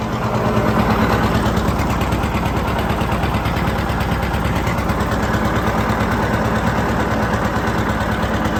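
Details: John Deere 730 two-cylinder tractor disking ground with a John Deere RWA disk; steady even putt under load with no knock or miss; healthy running.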